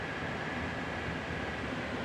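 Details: Indoor air handler of the AC system, running: a constant rush of air with a faint steady hum and no rattles, scraping or surging. Normal operation.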